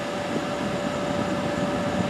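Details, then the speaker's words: 2014 Ford F-150 Platinum multi-speed climate control, after replacing the blower motor and the control module (resistor) for a blower stuck on high: at top speed a strong, steady air rush with a faint fan whine; the speeds now change correctly. "We'll crank it all the way up. You see, you can hear it. It's working."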